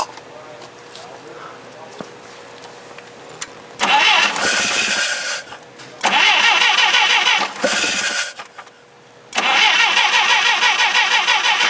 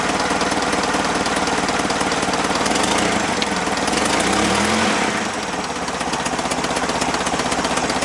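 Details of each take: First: Clark C500-45 propane forklift during tune-up, just fitted with new distributor cap: three even cranking bursts that never fire, a crank no-start; cap suspected of not making contact, old cap refitted, still no start. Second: Clark C500-45 propane forklift after a tune-up with new spark plugs, new plug wires, a new distributor cap and the old rotor: steady, even firing at a settled idle with no misses or knocks. It runs properly.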